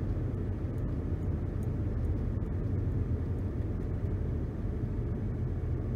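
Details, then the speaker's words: 2011 Nissan Rogue, FWD, new balanced tyres, after wheel hub replacement, coasting down from 60 to about 30 mph: only smooth even low tyre rumble, no hum, drone or vibration; previous loud wheel bearing noise fixed. "I do not feel any vibration in the pedal or in the steering wheel. I don't really hear a hum or a sound like I'm in a jet plane or a buzz."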